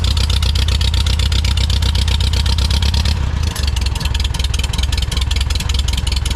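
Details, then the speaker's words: 1946 Farmall tractor just after replacing a clogged fuel filter and bleeding an airlock to the carburetor, carburetor needs rebuild: fast idle with slightly uneven beat, occasional weak or late firing; uneven running, owner suspects ignition timing needs adjusting. "And over here I gotta get the timing adjusted correctly. It's not quite firing perfect. I can hear it."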